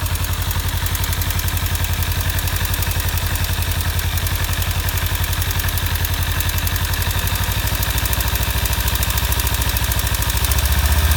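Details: 2015 Kawasaki Ninja 300 twin at warm idle: fast, even light top-end ticking that appears only once warmed after short riding; owner suspects cam chain tensioner or loose exhaust header bolts, unconfirmed.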